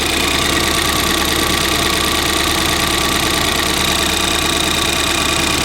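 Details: Ford Fiesta ST idling after fitting a replacement cloned ECU that cured a misfire: fast, light, even ticking over a steady idle with hissy background, said to come from the fuel rail injectors; engine sounds sweet.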